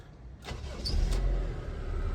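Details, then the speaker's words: 1997 Honda CR-V with a crank-no-start fuel problem, after the pump was heard priming again and key-cycled to build pressure: a short crank catches quickly into a steady, even idle; the car now runs. "The car is now running. Car is running."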